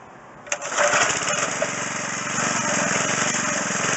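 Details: McLane edger, small single-cylinder engine, after carburetor was stripped and flushed, fuel lines unclogged and idle screw turned out half a turn: steady, even buzz at half throttle with no surging or sputter; running properly.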